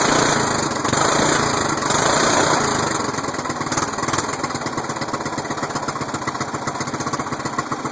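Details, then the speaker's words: Single-cylinder Murray mower cold start at 25°F after sitting 3 months: uneven fast-idle chugging with occasional backfires popping through the carb; owner suspects a dirty carb, not confirmed. "so it was pretty much successful with except for a little backfires through the carb maybe just dirty"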